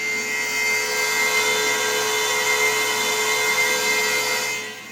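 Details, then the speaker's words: Pentium Pro PC's original Quantum XP34300 4.3 GB hard drive: steady high-pitched whine with constant hiss, far louder than normal; to be replaced with a Western Digital Enterprise 4360 SCSI drive. "That thing is super loud. Wow, that's a loud hard drive."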